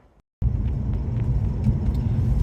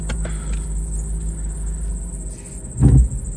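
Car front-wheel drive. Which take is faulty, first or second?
second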